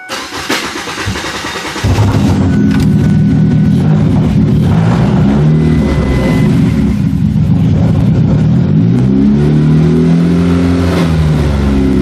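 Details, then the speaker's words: Derby car with push-button starter bypass, old fuel drained, alternator not charging: starter grinds about two seconds before catching, then uneven surging run; hard start, owner suspects low fuel pressure. "again uh-oh I don't think I have enough fuel pressure"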